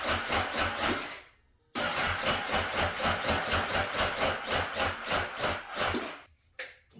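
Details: 2009 Honda CBR 1000 RR, bought unseen after sitting outside in an auction lot: uneven chugging about four pulses a second that stops and restarts without settling. Rough running after storage.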